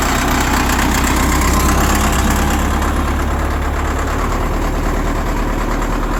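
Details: CAT 950 loader diesel, sitting about 15 years, water drained from fuel, new 24 V batteries, idles with steady even clatter and firm regular beat; running smoothly at idle.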